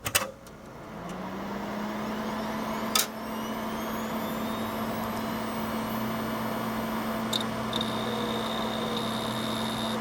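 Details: Gateway LP Mini Tower KAD K7-700 (AMD Athlon 700 MHz) hard drive: steady mid-pitched hum spinning up within a second into an even drone, occasional faint clicks. Healthy drive running normally.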